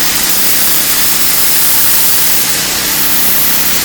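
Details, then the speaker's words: Excell EXH2425 pressure washer with DeviBiss pump after low-pressure repair: steady even engine drone with hard hiss of spray, no surging or dropouts, wand kicking like a fire hose; pump holding full pressure, normal operation. "you really know if the the wand and the trigger mechanism everything is working because if you start it up and it starts to fly around you know you got pressure but sits there and sprays not working so it wants to kind of take off like a fire hose now"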